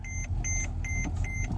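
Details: Mercedes-Benz E-Class with failed brake system: high-pitched warning chime repeating about twice a second over faint engine hum; ABS light on, car cannot move, brakes pump but system out; cause unknown.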